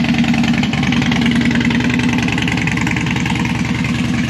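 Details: Harley Dyna that died after 10 miles and wouldn't stay running or crank hot, first start after reassembly with a lithium battery fitted: a steady loping V-twin idle, firing evenly without stumbling or dying, idling normally.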